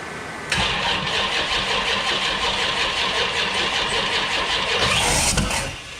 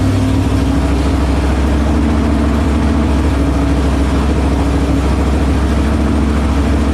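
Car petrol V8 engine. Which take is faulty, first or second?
first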